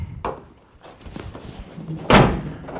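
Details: 2005 Chevrolet Silverado tailgate after new bumpers are fitted and the bracket is bent toward the truck: it shuts with one solid, dull, softer thunk and no loose rattle afterward, curing the sloppy tailgate rattle.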